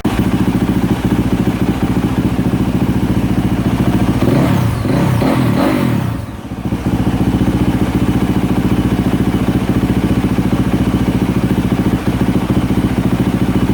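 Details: 2024 Yamaha YZ450F single-cylinder, repaired after overheating melted the water spout, filled with water and warming up on its own; app later shows no trouble codes. Steady idle about 3.5 beats a second with a brief blip midway; healthy.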